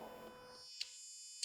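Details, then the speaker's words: BMW R1200C after a new fuel pump and battery install, first key-on: faint steady high electric whir for about two seconds with two light clicks; the new pump priming normally. "when I cycle the key on I can hear the pump go"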